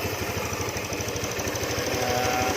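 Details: Honda Beat FI scooter: it ticks over at a steady, even beat with no knocking or rattle from the drive side. Normal idle.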